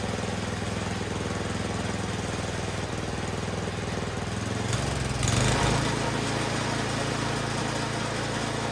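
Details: 24-inch MTD Yard Machines snowblower single-cylinder engine after a tune-up (carburetor had not been bolted on), high-end mixture set at full throttle: steady fast putter with a brief rise in speed midway, then settling evenly; normal running.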